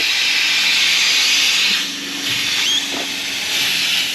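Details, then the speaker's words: 1962 Ford Falcon, long-stored, after new brakes, overheated on a drive: loud, steady, high rushing steam hiss surging and easing; coolant blowing out through a hole in the radiator. "Oh, yeah. It just blew a hole. It just blew a hole."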